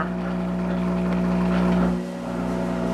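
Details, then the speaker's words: Monarch 10EE lathe, warm-up drive check at low speed, hand squeezing to drag spindle: drive hum dips briefly then recovers almost at once as compensation circuit kicks in; spindle speed held under load. "now i'm going to put my hand on this and i'm going to squeeze i'm going to try to slow that down and you'll hear the compensation circuit kick in"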